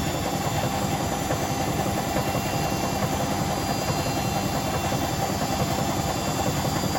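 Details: Hotpoint BHWMXL145 washing machine on a test spin. A steady heavy rumble with an uneven thump roughly once a second. The drum is loose because two spider arms are snapped, not bad bearings as first reported, and the drum is cracked at the back.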